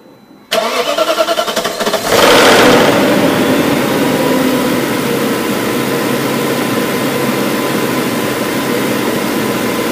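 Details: BMW M62B44TU V8 (stock exhaust) cranks, fires and settles to idle with a busy metallic timing chain rattle at start-up.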